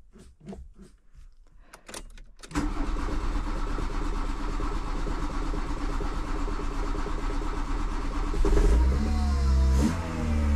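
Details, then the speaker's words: VW Golf 2 petrol engine after rocker cover gasket reseal to cure a suspected air leak: fires after a few clicks, then the idle hunts, rising and falling repeatedly instead of holding steady. "Là j'ai fini de jointer tout ça et je remonte, je me dis c'est bon, il n'y a plus de prise d'air, je démarre, montée, descente, montée, descente, montée, descente."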